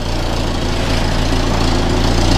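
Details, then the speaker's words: Volvo 480 project car idling after a CEM replacement, with no belt flap: a rapid puffing chuff over the low rumble from an exhaust leak, as the owner's earlier repair on an upstream exhaust joint hasn't held. "can't still hear a slight exhaust leak oh yeah actually there's quite an exhaust leak coming from up there so my my repair on the joint up there hasn't worked properly"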